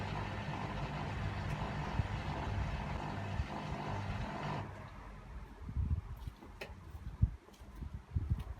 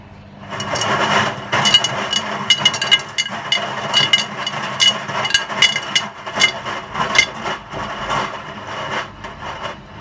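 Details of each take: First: Hotpoint WMA50 washing machine on fast wash with heavy chains, near final spin: low steady drain pump hum for about four and a half seconds, then cuts out; normal drain pump operation. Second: Hotpoint WMA50 washing machine, left out in rain 2–3 months, fast wash with 10–15 kg heavy chains, final spin: smooth as chain load balances, but irregular hard clatters and knocks as machine rocks and wobbles on uneven ground.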